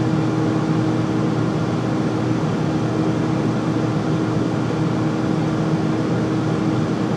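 Loud steady roar with a constant hum underneath, no knocks or rhythm; the furnace runs noisily, cause not clear.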